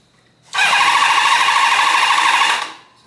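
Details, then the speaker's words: 1978 Honda CB550K under restoration, plugs just installed after a spark check: two seconds of even, brisk starter whirr with no catches or drag; normal cranking with compression. "all right so the plugs are in so now it'll have compression see what it sounds like with"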